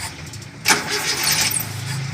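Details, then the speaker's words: 1980 Colt T120 after worn bearing knock treated with cigarette paper and oil treatment, no engine teardown: catches and revs up smoothly, clean even run, no knocking or metal noise at high revs. "Suara mesinnya jadi gak ada gelotok-gelotok lagi, alias enak. Di putaran atas gak ada suara metal, dijamin."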